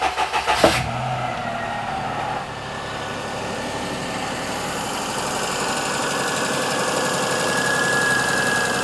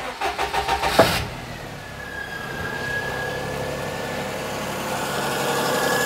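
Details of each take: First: 2004 Perodua Kenari after a timing belt change, only the alternator belt fitted and no power steering belt: quick catch to a smooth idle with no whine, suggesting the old whine came from a tired belt or the power steering pump. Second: 2004 Perodua Kenari after a timing belt change, engine catches after a brief crank and idles with a faint steady whine from the power steering pump; fluid slightly down, earlier whisper from a dying alternator belt gone.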